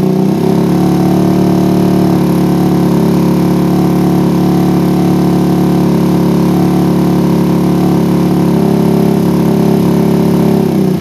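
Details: PE24 carburetor after moving the needle clip from the middle to the top, with the air screw now about 1 to 2 turns out. The single holds a smooth, steady idle with an even buzz and no stumbling; the idle is normal.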